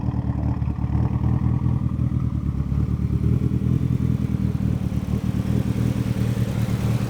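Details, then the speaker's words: Fully built Evo 9 on first drive after over two years on jack stands, coasting in gear on engine braking (vacuum pulls) around the neighbourhood: steady low engine drone, light road clatter, no knocks or whistles; no leaks, Desmond says it idles perfect, runs good. "And yeah, it's running great. According to Desmond, it idles perfect, it runs good."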